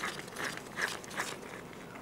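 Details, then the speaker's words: 2008 VW Mk5 GTI water pump, removed during timing belt, thermostat housing and pump replacement after a severe coolant leak; spinning the old pump by hand gives quiet gritty crunching in bursts, bearing rough with felt play: worn water pump bearing. "the bearings in it don't sound the greatest so prob good thing we're doing this now and I can feel I can feel some play in it"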